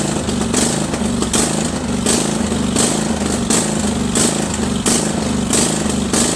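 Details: Craftsman 20.5HP 46" lawn tractor, Kohler Command V-twin, choke off, before carburetor cleaning: engine rises and falls in regular pulses about once a second, surging badly at all throttle speeds from a dirty carburetor.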